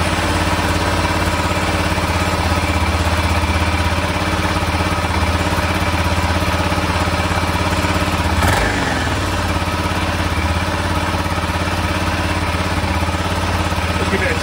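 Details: 1996 BMW F650 Funduro single after carb rebuild replacing mismatched cheap-kit jets, cold start; fires and settles to steady even thump with no misfire, idling about 1,500 rpm, tick-over set a bit low.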